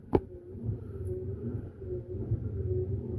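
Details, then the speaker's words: Hemi Duster windshield wiper motor and newly installed, greased wiper transmission bench-run on a 12-volt charger: start-up click then quiet steady low hum, smooth, no binding, slightly speeding up; normal wiper motor running. "Oh, it's all nice and smooth, too. Like a washing machine."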